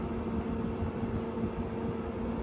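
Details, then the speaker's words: GE 6000 BTU window air conditioner running on low fan speed: soft, even whoosh of air with low steady hum, no rattles or buzzing; quiet, pleasant normal operation. "Now, this is actually a pretty quiet operation. For also on the low speed, it's not quiet, but it's a pretty pleasant sound. It's not really intrusive."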